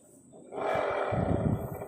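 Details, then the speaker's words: Honda Click 125 V3 scooter CVT with the torque drive fitted: a hollow, growling roar swells as it spins and holds steady, and it runs smooth with the torque drive removed. Worn torque drive bearing. "Pero kapag inalis natin ayan smooth. So ibig sabihin sira na yung bearing ng torque drive niya."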